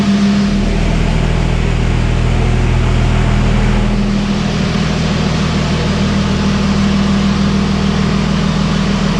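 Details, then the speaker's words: Diesel truck with new lines, running the day after it cranked oddly at the shop: steady, even diesel clatter at a settled speed with no misses or knocks, running smoothly. "But basically, I went out and started up this time, and it took right off like nothing. So cool. Sounds good. Sounds really good."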